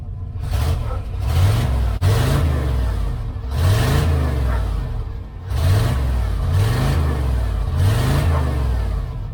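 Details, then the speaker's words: 1994 GMC Stepside pickup revved right after a rough cold start: throttle blips rise and fall cleanly with no popping or backfire now; engine revs freely and sounds good, though a raw gas smell remains. "it sounds good [Music] no it's not popping her backfire now"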